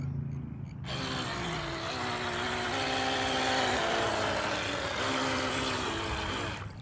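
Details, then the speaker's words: $30 RC boat fitted with a Traxxas XL5 ESC and a 2S 2000mAh battery (stock runs 1S), trying to get on plane: a high electric whine that wavers and sags under load. Motor labouring; owner wonders if the prop tunnel causes it. "oh that motor don't like this or something something's not happy in there [Music] oh so close something is not happy in there though"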